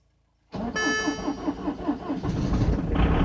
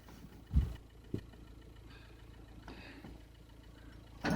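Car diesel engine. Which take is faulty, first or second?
second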